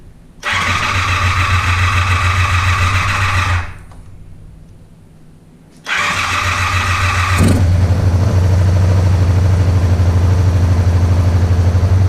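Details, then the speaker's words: Motorcycle twin (Interceptor project) first run after bench carb sync, bowls full, choke on: two short cranking bursts then catches into an even, smooth quiet idle; healthy start. "sounds good it is so much quieter than mine with the vance heinz exhaust on it my goodness i didn't realize how loud mine was"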